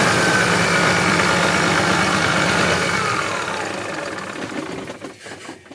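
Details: About 2000 Freightliner diesel truck, sat six years in a yard, cranked with ether: steady cranking about four turns a second for four seconds, then winds down without firing; cranks but won't start, possibly not getting fuel yet.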